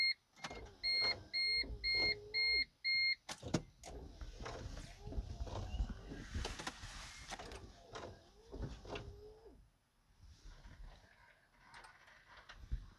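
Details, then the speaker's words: Wrecked 2012 Smart Fortwo Passion at key-on after battery reconnected: chimes, then repeated short motor whirs rising and falling as the transmission actuator hunts; owner thinks it is trying to put itself in neutral, not confirmed. "it's thinking i think he's trying to put himself in a neutral"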